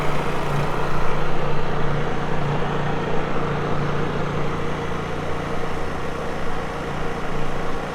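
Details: Honda EU3000is inverter generator for a travel trailer, just started on first manual recoil pull with choke. A low, smooth, steady hum with a soft even drone and no knocks or surging: quiet, healthy normal running.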